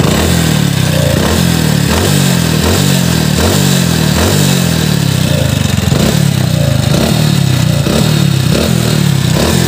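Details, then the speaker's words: Splendor single-cylinder before engine rebuild, warm idle (rougher on morning cold start); steady light knock about every half second over busy top-end clatter at timing chain and head. Piston slap and timing chain noise. "ಈಗ ಸ್ವಲ್ಪ engine heat ಇದೆ ಅದಕ್ಕೆ ಸ್ವಲ್ಪ sound normal ಆಗಿದೆ but timing chain head ಅಲ್ಲಿ sound ಬರ್ತಾ ಇದೆ"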